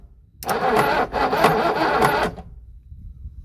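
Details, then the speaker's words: Used boat engine meant for a 1967 Mustang fastback swap: about two seconds of heavy, uneven cranking with rough knocking pulses that never catch; owner suspects something in the oil pan, and the engine then locks up. "oh my God that don't sound good oh my gosh please don't tell me this motor shot really that the oil pan oh that don't sound good that sounds like that's in the oil"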